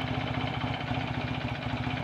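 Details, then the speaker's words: Rebuilt BSA A65 twin, hot engine at slow tickover: steady, even low thump with no knocks or rattles; original oil pressure warning light stays off, despite doubtful gauge readings on the test ride. "here we are on a slow tick over with i promise you a hot engine"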